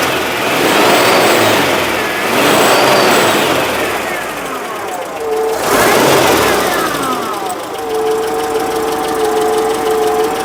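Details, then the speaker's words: Citroen engine (no timing chain or belt) after the exhaust was cleaned, paste-sealed and refitted; revs in waves with an odd gritty rattle or scrape from the back of the engine, owner suspects the new alternator's bearing failing; cause unknown. "It sounds like it's coming from the back of the engine. The scraping noise. It almost sounds like a scrape. Or maybe it is just the slow death of the new alternator."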